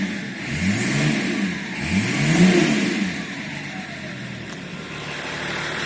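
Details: BMW E34 525tds with M51D25 diesel, briefly warmed up, heard through an opened window: revved twice, then settles, with a hard knock under the engine note. Owner suspects a knocking injector, unconfirmed.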